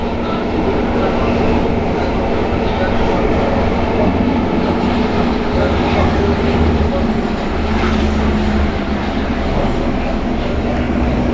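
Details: C151 train, car 3093, running from Choa Chu Kang to Yew Tee: steady rumbling rail run with a rough, gritty grind underneath that persists at cruising speed; grinding noise from under car 3093, cause unknown.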